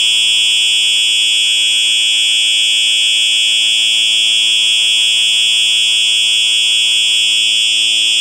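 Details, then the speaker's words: Simplex 4903-9238 fire alarm, 1999 date code, horn only: loud steady high-pitched horn with fast even buzzing pulse, slight crinkly sound at end; normal horn sounding. "now we will be testing the uh horn only it's supposed to sound like a true alert um but in a deeper tone"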